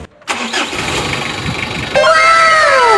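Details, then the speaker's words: Mitsubishi L300 restarted after replacing both timing belts and tensioner bearings (was smoky, no power, small belt broke); cranks briefly, catches cleanly, steady idle with no misfire or knock, healthy. "Patayin natin ang makina at saka i-start natin uli kung okay na ba talaga."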